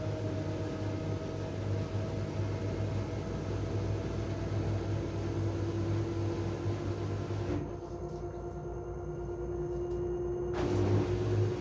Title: LG TurboWash, TubClean Cycle, Squeaking Noise